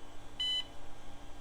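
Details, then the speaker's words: Acer Aspire 575LB powering on with 8 MB RAM: one short high POST beep over faint hum, equipment configuration error expected from the dead RTC; hard drive sounds like it's struggling. "equipment configuration error that's no surprise what the RTC having been dead"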